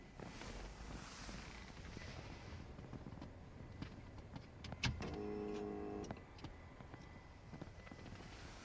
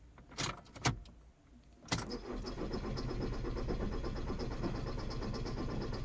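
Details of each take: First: VW Passat 2.0 TDI with a no-start traced to a melted fuel pump connector, after cleaning and repairing the pins, camera at the in-tank pump under the rear seat: at ignition on it hums steadily for one to two seconds, priming normally. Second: VW Passat 2.0 TDI diesel no-start: a couple of clicks then steady rhythmic cranking that never fires; no fault codes, cam/crank synchronization OK, fuel pump not running due to bad contact at connector pin.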